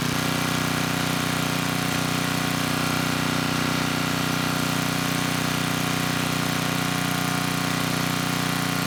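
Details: 10hp Tecumseh HM100 on a 6000 W Western Hemisphere generator with a replacement Oregon 50-656 carburetor, started on choke: smooth, even single-cylinder hum at steady governed speed, no hunting. Normal running.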